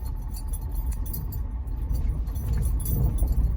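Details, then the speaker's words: 2020 Ford F-250 Super Duty, 40,000 miles, driving over rough bumps after a road trip: short springy metallic rattles like a flicked spring over low road rumble, from the front end, passenger side front right. "And I would pretty much describe it as if you have a spring and you flick the spring. I mean, that pretty well matches the sound."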